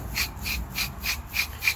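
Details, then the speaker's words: 2014 Nissan Murano rear wheel bearing, removed old bearing spun by hand: gritty rasp about three times a second, once per turn; worn wheel bearing. "okay I wish I would let you guys hear the new one before I put it on but I didn't think about it if you listen this is what the bad one sounds like"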